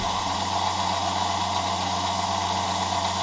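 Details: Circa-1959 EMC lab 360° turntable with N-connector slip ring, drive motor run at higher voltage: steady, even low hum with constant midrange whir, no knocks or speed wobble; turning smoothly, no sensor feedback observed.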